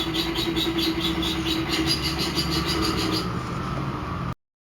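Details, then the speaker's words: LG washing machine after repair, running a fast spin: a loud steady high squeal with a rhythmic pulsing whirr, because the drive belt was overtightened by whoever fitted it and needs loosening. "දැන් මේ සද්දයක් එන්නේ belt එක ප්‍රශ්නයක් තියෙන belt එක බුරුල් කරන්න පොඩ්ඩක් හයි කරපු කෙනා වැඩිපුර තද කරලා බෙල්ට් එක"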